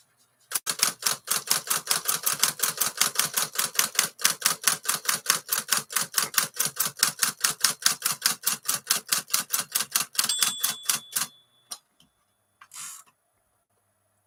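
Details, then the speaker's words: 1956 Smith-Corona 5LE electric portable typewriter after reassembly, fixing a u-clip/body rubbing on the motor: quick even ticking, no rattle or skipping; running cleanly. "well it's not making that rattling noise anymore so we already fixed an issue"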